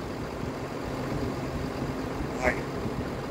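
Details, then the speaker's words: 6.7 Cummins diesel tow truck, rebuilt engine, after valve adjustment and valve cover gasket, ice cold start: quiet even idle held slightly high, no knocks or misses, brief squeak; normal cold fast idle while warming up. "that's she's ice cold has no air little fast idle action she's warming up that gas hand works when it wants to nothing to be alarmed about"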